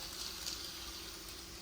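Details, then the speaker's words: HO scale Atlas Master Series locomotive running on track: faint steady low hum with light even hiss, no knocks or grinding; really quiet, quieter than the other Atlas units, running good. "So, but yeah, she's running good. Sounds good. It's really quiet. You can tell these are quieter than those other Atlas."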